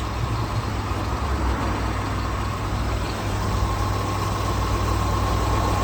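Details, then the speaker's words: Supercharged 5.0L V8 L322 Range Rover, about 2011, after sitting with a dead battery: cold start settles to a low even idle rumble with no chain rattle or knocking; sounds normal. "Wow, that didn't sound catastrophic at all, honestly."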